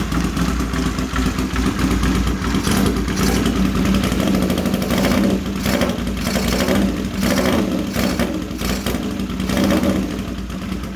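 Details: CX500 motorcycle twin, first start after carbs and battery were done, in neutral: fires up and runs with an uneven lumpy beat that surges and sags instead of a steady idle, shaking.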